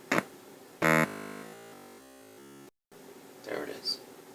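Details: 1973 Luxman L-507 amplifier, 50 W per channel, cold start: two sharp crackling pops with faint ringing over the quiet left channel before the relay clicks in; intermittent crackle and pop, cause not yet found.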